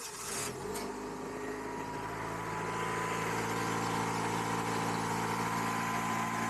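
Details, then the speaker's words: 1999 Acura CL with a weak battery, jump-started by remote start in extreme Minnesota cold: extended cranking, then the engine catches and holds a steady, slightly rising idle; the long crank is from the extreme cold. "so you can tell from the extended Crank that she wasn't too happy to wake up in the cold but but not too much drama there getting it started"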